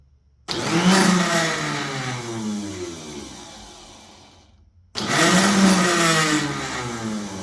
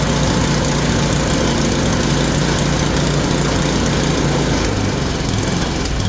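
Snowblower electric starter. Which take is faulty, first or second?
first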